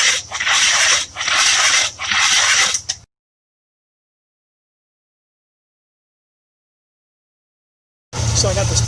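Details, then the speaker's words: 1966 Buick Riviera GS 425 Nailhead, spark plugs removed, Seafoam and PB Blaster left in cylinders; starter rebuilt, HEI spark verified: slow laboured cranking about one turn per second, hissing sprays each stroke, never catches; slow crank, no start. "so i'm having a problem i'm not getting a fast enough turnover when i'm starting the car it's a 66 buick"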